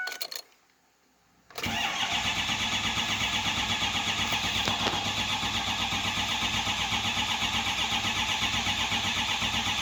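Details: 2005 Ford 6.0 Powerstroke diesel, crank no start: the starter turns the engine at a steady, even rate for about eight seconds, but it never fires or catches.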